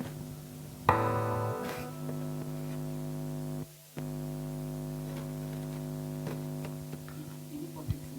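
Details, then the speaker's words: Acoustic guitar through an Ashley Premium 4 mixer recorded to a phone: steady low buzz under the guitar that disappears when the ground point is stepped on or held and returns when released; ground loop hum. "namun kalau saya lepas pasti dia akan dengung lagi teman-teman dia akan dengung lagi nih Saya akan lepas dia nah dia akan suara dengung"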